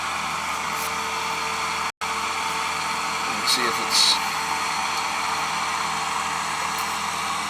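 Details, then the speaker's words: Old Goodman outdoor AC condenser, previously not cooling, after repair (swollen capacitor noted): steady fan whoosh and compressor hum, no rattles or short cycling; Bristol compressor noisy by nature. "They call these the old brown turds, the Goodman, because they're noisy."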